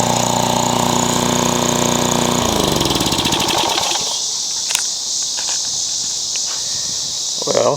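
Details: Craftsman curb mower, old small engine on a new aftermarket carburetor replacing junk ones, still burning a little oil: runs steady and even for a couple of seconds, then winds down and stops; sounds healthy.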